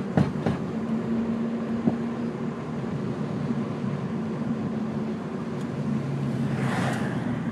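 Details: 2002 Ford Focus driving: several sharp hollow clunks over steady road rumble from driver's side front; cause found and fixed as a bottomed-out coilover.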